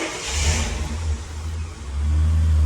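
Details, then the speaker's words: 2000 Ford AU Falcon, sat over 5 years, after fitting a new exhaust and fresh oil: engine blips then settles into a deep, smooth, steady rumble with no rasp or leak; normal exhaust note, no longer blowing. "Doesn't sound like a bag of farts anymore."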